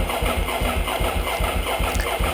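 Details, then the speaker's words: 2009 Ducati 848 before repair, with its fuel pump hose disconnected: fast, rhythmic starter cranking at about five pulses a second with no firing at all; cranks but gets no fuel. "yep that doesn't sound too good does it I'm going to show you how to get your Ducati 848 running just like this one again"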